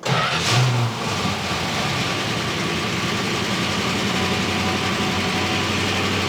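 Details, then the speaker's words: 1969 Barracuda first run after sitting 27 years, on a test electric fuel pump; engine catches into a rough idle with busy, rattly top-end clatter though oil pressure reads mid-gauge; worn hydraulic lifters. "Wow. Dang. Is it picking up any oil? Very clattery. Very clattery."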